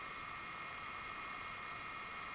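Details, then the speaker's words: Bestron DCF52LSR ceiling fan, newly installed: soft steady hiss of moving air with a faint even motor hum, a touch louder at the higher speed; not irritating, and the fan sounds normal. "and you hear the motor making a very weak humming sound like hmmmm... hmmmm... and when you go faster it starts a bit more humming. But it is not irritating or so."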